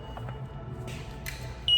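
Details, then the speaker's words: Model 37 Mart Cart, throttle pressed: a few faint clicks then a steady high-pitched beep with no drive motor whirring; positive terminal pulled out at the motor controller, loose power connection between controller and motor. "that you hear that clicking noise and the beep that's the motor trying to engage and it's not working i suspect that we have a loose wire or a broken wire somewhere between the motor controller and the actual motor"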